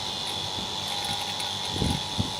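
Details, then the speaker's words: Vacuum pump evacuating a 2-ton Daikin mini split after welded contactor repair: steady, even whirring drone with constant high whine and no surging, about 15 minutes in; normal vacuum pump operation. "nobody's going to pull a vacuum on it I can I'm sure pumping some things and I can tell from the sound and then when it's done vacuuming I'm just those about here the difference"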